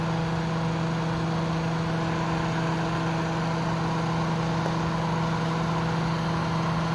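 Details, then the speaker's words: Kenmore dehumidifier compressor running stripped bare, coil frosting and getting cold on both sides top to bottom: constant low hum, steady mid-pitched drone, no knocking or strain; normal compressor running. "[Music] the spin Down's not too bad it's getting real cold all the way to the top both sides excellent piece of machinery"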